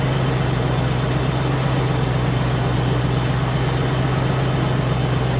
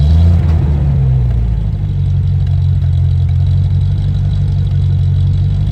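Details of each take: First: Land Rover Discovery 1 3.9 V8, first start after about 18 months standing, fired almost straight away, running up to temperature: even steady low rumble at idle, no knocks, misses or ticks; normal idle. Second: Land Rover Discovery 1 3.9 V8, first start after about 18 months sitting, oil pump primed: deep, loud, booming idle with heavy low rumble and no mid-section damping; loud because the centre silencer pipe is missing.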